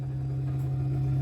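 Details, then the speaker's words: Samsung inverter fridge after not-cooling repair, thermostat connection OK: compressor and freezer fan running with a smooth constant low hum, no rattles or ticking; fan working properly. "compressor is working properly also fan you can hear the noise fan freezer fan it's working properly without any problem"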